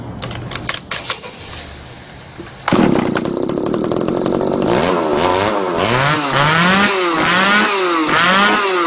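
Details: Tanaka ECS-4000 chainsaw that would not start, after carburetor cleaning and new diaphragm: a few rattly pull-starts, then it catches, revving up and down crisply and evenly; now starts and runs healthy.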